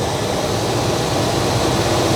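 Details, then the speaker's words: 1989 Chevy K1500 after fan clutch replacement with a 4 Seasons severe-duty unit, warming up: loud, steady rushing roar at idle, no wobble or scrape; new clutch locking up and pulling far more air than the old one. "but this is this is pulling an enormous amount of air like my hand is probably 6 in away from the condenser and the amount of air that it's pulling in I can tell is significantly"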